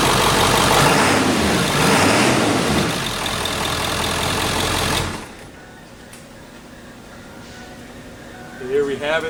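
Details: Ford 7.3 Power Stroke diesel after reconnecting the under-valve-cover injector wiring harness (code P1316; previously hard starting, misfiring, no power): strong, even diesel clatter at idle with no stumbles or skipped firing, then settling quieter; normal idle on all cylinders.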